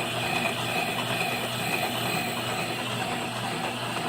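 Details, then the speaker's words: Motorized welding positioner, motor bolted to a welded plate: a steady gear whir with an uneven tick about twice a second and a possible slowing once per revolution. One coupling is not quite aligned and wobbles. Misaligned coupling. "I got that one little coupling. It's not quite right. Not 100%."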